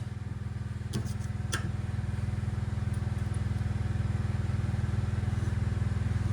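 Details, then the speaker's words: 1976 John Deere 300, battery charged but owner suspects weak battery, failing starter and a flywheel problem; heavy, even low thumping as the starter drags the engine slowly without catching. Cause suspected, not confirmed. "Okay. Come on. I don't think my battery's strong enough. I just don't think the battery's stro"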